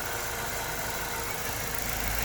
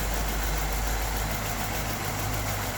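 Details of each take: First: LPG-converted car that had shaken badly at idle, after repairing poor contact in two internal field wires: even steady idle with no stumbles, shakes or dropouts; normal idle. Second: LPG-converted car idling with heavy shaking, dipping and catching about three times a second. Shaking stopped when the injector wiring was jumped. An add-on LPG computer sits beside the main ECU, and faulty contacts or solder joints in its connector are suspected.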